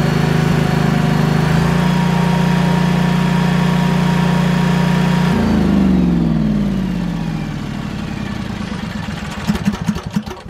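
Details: Briggs & Stratton Vanguard engine on 10,000 W generator, after surging/fuel-supply repair, refilled with ethanol-free gas: steady even drone without hunting or surging, winds down smoothly at shutdown; governor holding speed.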